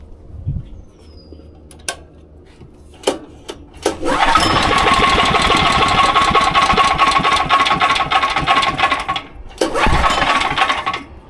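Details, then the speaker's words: SDMO 5000W generator with a Briggs & Stratton engine (about 18 hp), pull-started with the tank nearly empty: several cord pulls, catches and runs roughly a few seconds, then dies; stalls from fuel starvation. "As you heard it ran for a second there, but it's got almost zero fuel in it."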